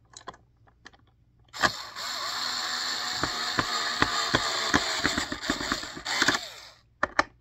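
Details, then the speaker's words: Cheap Walmart drill reassembling a vacuum: high motor whir broken by quick ratcheting clicks as the screw bottoms out; clutch slipping at its torque setting as intended, so the screw won't strip. "If you hear it makes that kind of clicking noise, that means that it's in all the way, and you know it won't strip the screw or thread out."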